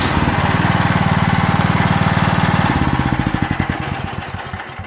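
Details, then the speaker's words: Nearly new Yard Works 30-inch snow blower with an offshore Tecumseh Snow King-style engine; no-start was caused by the pulled plastic kill key, now reinserted, with a new plug replacing a fouled one: single cylinder puts along steadily, then winds down; runs fine. "it's in all the way now and this machine now it'll fire right up"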